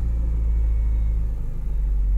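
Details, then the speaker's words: Ford Ranger idling with bad engine mounts: deep uneven rumble and low shaking drone, the whole truck rattling; engine vibration from worn engine mounts. "can hear all the rattle the whole truck is rattling because the engine mounts are bad"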